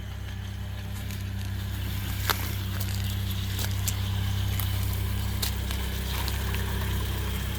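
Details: 1991 Ford Mustang LX four-cylinder, 173,000 km, unmodified: low steady idle hum with uneven slightly lumpy beat about 2.5 per second and faint ticks, though described as running great; rough idle, cause suspected, not confirmed.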